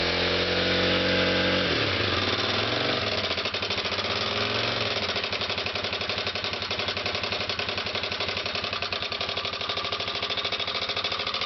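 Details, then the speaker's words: 2006 Kawasaki KLX250S at idle: a rapid, fairly even ticking rattle that seems to come from the top end rather than the crank area, even though the valves have been checked; the source is still unclear. "[Music] sounds like it's coming right around this area if anything I've had the valves checked and whatnot"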